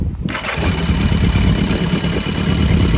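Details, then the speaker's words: Barn-find 1982 Yamaha Maxim XJ750 after the flooded plugs were cleaned and dried, started with a little choke: it catches at once and settles into a fast, slightly uneven idle with a deep exhaust beat. It starts and runs; the gas tank issues remain. "there we go okay so it sounds like she'll run as long as I get this whole gas tank situation figured out"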